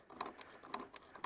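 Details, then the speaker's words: 2006 Aprilia SR 50 R scooter: the kickstart lever swings with light hollow clicks about twice a second and the engine doesn't turn over. The kickstart gear in the CVT was not properly placed; adjusting it fixed the noise. "I noticed another thing it started happening when I tried to Kickstart the bike but thing is if I try to Kickstart it yeah you guys hear that it's not I mean it's not connected to anything just just moving"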